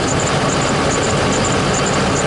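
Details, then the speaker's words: 2008 Chevrolet Duramax diesel, a little over 100,000 miles, at idle: faint high-pitched chirps in quick clusters of three; serpentine belt never changed, suspected dry and cracked, to be replaced. "a chirping sound that that usually means that your belt serpentine belt's really dry and cracked and i've never changed it"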